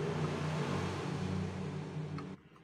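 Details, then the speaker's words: Electric wood planer running: coarse, uneven low drone with excessive rough vibration before switching off. "kita dengar suaranya seperti apa sangat terlihat jelas sekali suaranya sangat kasar dan getarannya berlebihan"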